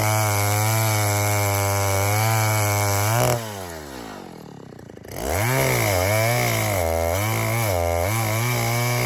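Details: 1960s Stihl 08S two-stroke chainsaw, about 60 cc, cutting firewood after richening high jet further: steady high scream, then pitch sags and wavers unevenly in the cut, lagging; over-rich high-speed mixture, adjustment turned back.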